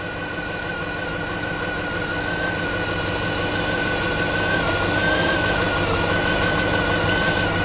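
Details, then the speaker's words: 2007–2014 GMC Yukon 6.2L at idle with microphone near engine: uneven, lumpy beat about three pulses a second with thin whine, starting very rough; vacuum at purge valve confirms it stuck open. "All right, and it's starting very rough, which is to be expected."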